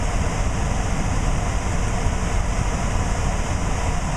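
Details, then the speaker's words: Trane air handler variable-speed blower motor, driven from a Trane test circuit board on cooling stage 2 (high speed), blower door off, about 700–800 rpm and 1400 CFM: steady, even air rush with no whine, rubbing or knocking. Normal operation. "so I can go up and one more and go to cooling too which is high-speed on cooling you you should hear this motor start to ramp up as you can hear it it's starting to speed up and is doing 700 rpm"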